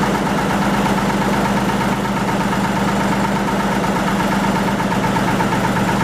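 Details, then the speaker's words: 1940 Lister JP3 single-phase 230 V diesel generating plant on test run after water pump rebuild (pump seal fine, slight weep at top radiator hose clamp): smooth, constant drone with steady hum and even beat, no knocks, rattles or surging; normal running. "Anyway, we'll give her a test run. Give her a run for a bit and yeah, see how she goes."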